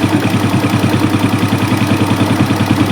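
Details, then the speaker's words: Suzuki Smash single, hot, smoky and rough complaint: uneven, lumpy idle with loud low pulsing beat and rough misses after carburetor adjustment; engine judged to be leaking compression, exhaust showing black. "Nah, mesin maunya di segini ya. Ini bocor, ini ada kompresi bocor."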